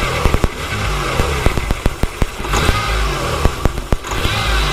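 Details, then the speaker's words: Z car being revived, revving with throttle snaps: sharp irregular clicks that bunch up when the throttle is punched; owner hopes it is not rod knock, cause not yet found. "when I punch it I'm here now I'm hoping I don't have a kind of rod knock or something so we'll see what's going on"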